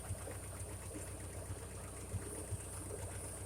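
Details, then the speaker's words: 1956 Ferguson TO35 tractor idling down: sharp puffing tick on the beat from an exhaust leak at the back, probably around number 4 cylinder; water pump bearing also making a little noise. "The island down, you can really hear that exhaust leak over there at the back, probably number 4 cylinder, right around that area."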